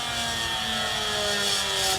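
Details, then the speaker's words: Electric-over-hydraulic trailer brake pump on the yellow emergency-breakaway wire test: steady motor hum with an even high whine, no stumbling or surging, then a clean cutoff; the pump pressurizes normally and passes. "So this pump passes the test. This yellow wire is for the emergency breakaway system."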